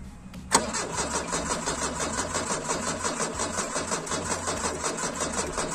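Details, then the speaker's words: VW Gol (square-body, petrol, carburettor) cranking with weak battery and fuel fed direct to the carb after fuel pump trouble: even, rapid cranking for several seconds without catching; crank no start, likely a fuel problem. "a bateria tá fraca não tá pegando"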